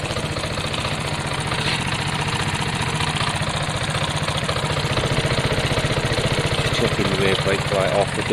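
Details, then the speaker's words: Piaggio Fly 125 scooter after an engine swap and a new clutch, with a steady, quiet idle, an even low beat and no knocks or rattles; it sounds much better with the new clutch. Normal idle. "It's quiet. They normally run fairly quick. They're not the quickest, but they run okay. Sounds much better with that clutch."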